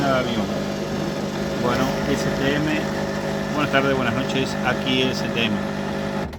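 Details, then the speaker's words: Washing machine during the spin cycle: a loud steady jet-turbine-like roar with a droning low hum. The cause is suspected to be worn drum bearings, and the suggested fix is replacing both bearings and the seal. Not confirmed. "El lavarropa hace ruido turbina de avión. Cuando ustedes se encuentren con este ruido, es el famoso turbina de avión, es porque tiene problema en los rodamientos."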